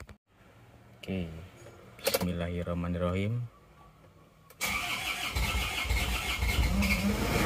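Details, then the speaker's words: Isuzu Panther diesel after new liners, first start post-rebuild: two slow cranking bursts (fuel not yet primed up), pause, then fires and holds a steady clattery cold idle. Normal start and cold idle. "Masih dingin baru hidupar ya es Oke ini mesinnya sudah hidup sekarang kita coba Sebentar ya"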